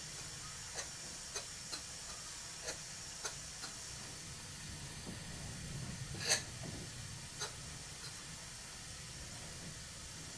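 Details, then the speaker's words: Rebuilt Stuart Twin Victoria miniature steam engine on bubble wrap, steam pressure turned down: soft light ticks about every half second over quiet hiss, turning slowly and evenly, timing fine; slight crankshaft unevenness expected to improve with running. "there's not much wrong with the timing though look how slow the engine will go if I turn the pressure down"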